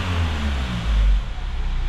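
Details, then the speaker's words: Kia Sorento after new hydraulic valve tappet adjusters and timing chain tensioner, fixing a ticking on rev and throttle release: engine revs and drops back with a smooth low drone, no ticking; now quiet. "Yun, tahimik na siya mga boss."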